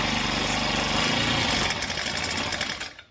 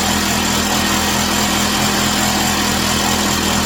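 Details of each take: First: Chinese Amazon mini bike on first start after oil added and oil put in cylinder, choke on: small engine buzzes rattly for two seconds then stalls; owner thinks it needs warm-up and choke turned off. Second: Chinese Amazon mini bike small single-cylinder engine after first start, warming up on a table, rear tire spinning: steady even buzz, no knocks, misses or surging; smoke stopped, running healthy.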